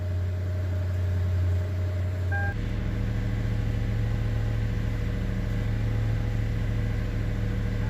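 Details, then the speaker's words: 2009 Lexus LS460 after the fuel rail pressure sensor was replaced to fix a no-start with code P0193. Smooth, even low idle with a steady note and no knocks or misses: the engine runs normally. "سوي تشيك انت شوف 100 سيارة شغل مظبوط الحمد لله."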